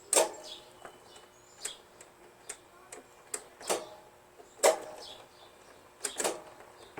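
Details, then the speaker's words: Toro Wheelhorse 616Z zero-turn mower with Onan opposed-twin engine, non-running, battery charging fine, parking brake on: sharp single clicks about once a second with no cranking; starter clicks but won't crank, unresolved. "no still nothing so I was hoping it would just start but we have no look at that obviously"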